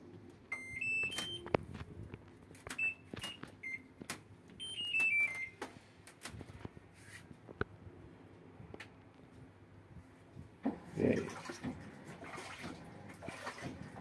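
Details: LG washing machine after repair (failed lid-open sensor bypassed on the board): a few sharp beeps on power-up, then quiet running and soft rush of incoming water, no beeping error; now starts normally.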